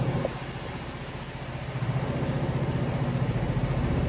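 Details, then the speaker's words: Vespa Sprint 3V (Tri/3V engine) automatic scooter, about 36,000 km, at idle: a low, steady putter at roughly three to four beats a second with slight roughness and vibration. This is normal for the 3V engine and CVT, not damage. "triv getar agak bunyi kasar ya itu normalnya Vespa bukan karena memang dia rusak atau gimana memang bawaan dari lahirnya udah kayak gitu kalau mesin Tri"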